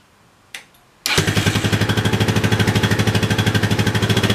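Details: Yamaha 660 single-cylinder after carb re-jetting for a lean condition, reinstalled with tank loosely on and clutch switch held down; fires up into a steady, even thump with very little popping, running healthy; smoke is spilled oil on header.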